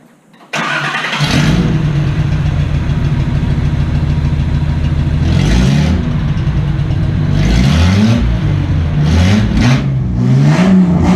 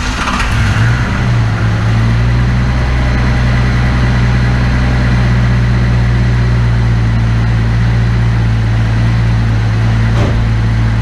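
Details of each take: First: After fuel injector replacement and removal of a disintegrating catalytic converter, the engine runs open headers into a couple feet of pipe; it barks on start, throbs deep and loud at idle, and booms raw on blips. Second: Engine just after fuel injector replacement with OEM-spec injectors: cranked right up, idled high briefly then settled into a smooth, even, healthy idle; no fuel leaks.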